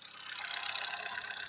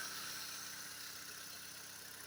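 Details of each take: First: Engine after a rebuild, quiet when cold: once warm a fast, even ticking knock rides over a thin engine note, audible from the cabin with vibrations, no check-engine light, oil pressure high; cause not yet found. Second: Recently repaired engine at cold idle, soft and even with only a faint light ticking underneath and no knocks (a knock appears later once hot): normal cold idle.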